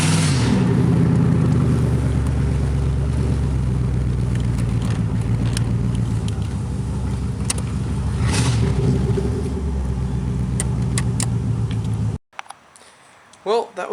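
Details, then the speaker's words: 1986 Chevrolet Camaro IROC-Z, exhaust pipe broken where the Y-pipe forks: loud, raw, blatting rumble swelling with revs, far louder than a sealed system; exhaust leak, to be welded. "um well I guess we'll be fixing that tonight because I'll be uh sure to get pulled over if I drove that thing around much longer"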